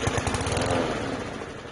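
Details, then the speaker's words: PowerSmart lawn mower that wouldn't start, pull-started with starting fluid sprayed into the intake: short run of sputtering pops that dies within two seconds; spark and compression present, fuel delivery problem, carburetor cleaning expected. "Okay, it's alive, so what this is telling me, it's probably just a simple carburetor cleaning, and this thing should be good to go."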